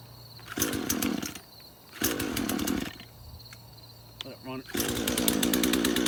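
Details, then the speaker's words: Craftsman chainsaw, first start after about five years sitting in a shed, choke out, little old fuel: catches and revs in short bursts then sags and stumbles; surging and dying, not picking up fuel properly. "all right so it's like it's having trouble picking up fuel"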